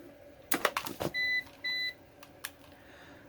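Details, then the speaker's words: APC BN450M 450VA (255 W) UPS, mains still plugged in: two short high-pitched warning beeps about half a second apart among handling clicks; it keeps beeping for an unknown reason before the 230 W battery test. "why does it keep beeping so it's beeping down here for some reason"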